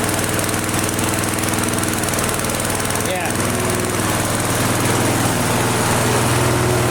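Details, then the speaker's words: Flea-market lawn mower, Briggs & Stratton 5 HP single, primed three times, half throttle: steady even putter at constant speed, no misses or knocks over exhaust drone, runs great. Normal running. "That is the nicest running engine on the crappiest, ugliest frame I have had through my hands here."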